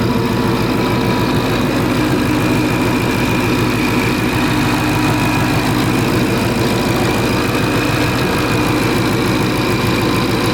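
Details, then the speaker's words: Supercharged 2013 Mustang GT V8 at idle, with coils pulled one at a time to find the dead cylinder: lumpy, uneven beat that stumbles every few pulses; misfire at idle, yet the scanner logged no misfire counts on cylinders one through eight. "yeah there it is that's fine that's misfiring"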